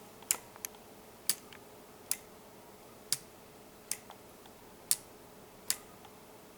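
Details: Homemade weight-driven pendulum clock under construction: crisp, evenly paced tick-tock about seventy a minute as the escapement presses the pendulum; normal escapement.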